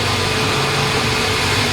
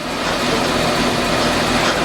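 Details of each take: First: Nissan Grand Livina with the engine running after the front wheel bearing that caused a hum was replaced. The spinning front wheel now runs smooth with an even hiss and no growl. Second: 2012 Nissan Grand Livina automatic, jacked up with the front wheel spinning in gear. Constant coarse roar and hum with no rhythm, and vibration felt at the suspension: a worn front wheel bearing, never removed in about ten years.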